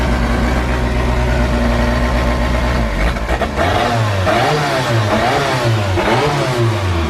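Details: Forged Toyota 5E-FE rebuilt engine with big camshafts, first start-up; lumpy, choppy idle then sharp throttle blips falling back cleanly, healthy.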